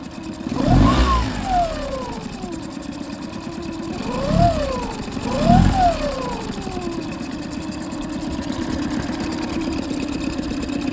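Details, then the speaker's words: Boat outboard right after injector cleaning and replacement, fuel bulb primed and air bled, no leaks: fired right up easily, idles smoothly, then three quick throttle blips rise and fall cleanly; runs healthy. "But fired right up pretty easy."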